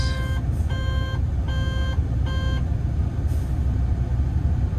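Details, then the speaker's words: Diesel construction machine: four evenly spaced high beeps over a low steady engine rumble; warning alarm, cause unknown, ambient air temp sensor reading 72 degrees; regen about to be run to stop it. "Alright, let's get this doing a regen, see if it'll stop this thing from squawking at me."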